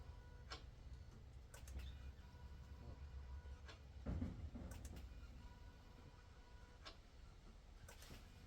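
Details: Reassembled engine, manifold and injectors refitted, first start attempt after rebuild: a few sharp, irregular clicks on the key with no cranking. Suspected flat battery, not confirmed.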